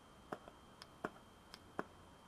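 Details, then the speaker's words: VW B5 Passat 1.8T with EVAP flow malfunction code, purge valve bench-tested: sharp clicks about every half second, just a pop as valve opens with no air flow; valve restricted. "there's just an initial pop as the valve opens, but there's no real flow."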